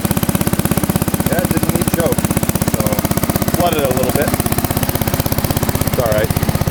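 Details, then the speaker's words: Massey Ferguson 10 tractor in great shape: fast, even, regular putter holding its beat without misses or stumbles; engine running cleanly, a good runner. "But it is a good runner. It really is."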